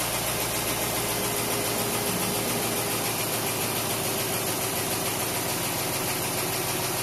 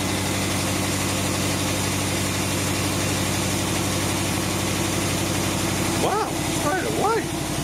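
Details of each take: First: Willys truck first start after a 12-month rebuild, cold workshop at about 14°C, idle settling as it warms: even steady low beat, running on all cylinders with no stuck injectors, no misses or knocks; normal idle. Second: Rebuilt Willys truck, first start after 12 months idle on year-old fuel, cold 14°C workshop; starts straight away, settles to even idle with light fast ticking on top, owner notes a bit of lifter noise, unsurprised: lifter tick.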